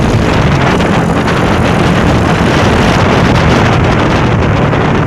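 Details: Honda Revo Absolute running after its rocker arms were replaced: a steady, even drone with wind buffeting and no top-end tapping; smooth, only carburetor sound heard; normal.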